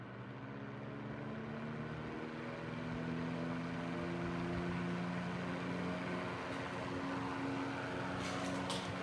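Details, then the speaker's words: 1941 Gilbert fan, rewired to replace deteriorated taped connections, running on low at 0.51 amps: smooth, low, steady hum with no ticking or scraping. Normal healthy running on low speed. "It has a really nice sound to it. I really like this fan. I plan to use this fan summer 2025 because this runs really good."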